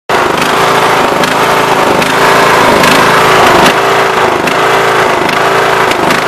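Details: John Deere Sabre 15.5 42 Hydro mower, bought used, warm after running a while: the engine surges and hunts, pitch swinging about once a second, nearly cutting off and stalling under mowing load. It began after mowing high grass; carburetor already cleaned, gas treated.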